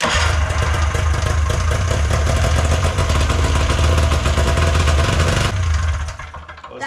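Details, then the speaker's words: Old two-stroke snowmachine after idle screw reset from about five turns open back to factory 1.5 turns: steady, even burble for several seconds; now starts first pull and idles better, normal idle. "I mean she's idling better starts up first go super easy"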